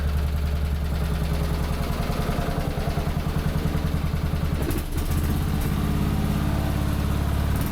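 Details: MTD Lawnflite 548 lawn tractor under restoration, after rewiring and a new hose: the single-cylinder engine holds a steady, even beat at about three and a half pulses a second with no misses. Running healthy.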